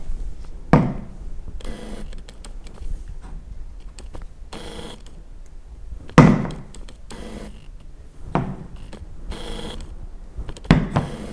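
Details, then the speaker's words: Sony 50mm f/1.8 lens autofocus, recorded with a Rode VideoMic Go placed right beside the lens: short buzzy whirrs in separate bursts each time focus shifts, over a quiet room; normal but noticeably noisy autofocus motor. "Là, j'ai mis le Rode VideoMic Go, donc c'est le petit micro de chez Rode, et du coup, je vais le mettre juste à côté de l'objectif pour que vous puissiez entendre le bruit."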